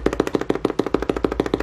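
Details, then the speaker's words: FRISK 7 portable turntable crossfader: fast run of sharp pops, about eight a second, as it cuts sound in and out; attributed to the reed switches used. "see what I mean and it's because they're using greed switches so you're going to hear that popping"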